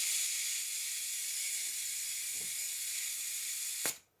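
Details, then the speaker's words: Stuart S50 model steam engine on first test run, oiled, on air pressure: steady high hiss, then one sharp pop as the slide valve hits the port face once steam chest pressure builds; normal startup. "the popping noise that you've just heard was the sound that the slide valve made when it hit the port face once it supplied sufficient air pressure to the steam chest"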